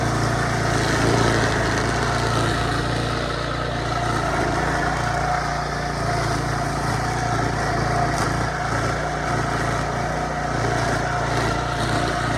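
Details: Early-to-mid-2000s Craftsman brush mower, revived after sitting unused 3 years (carburetor rebuild, air filter, spark plug, oil change, new strings), cutting tall grass on soft wet ground: steady, even single-cylinder drone, no surging or misfire; healthy under load.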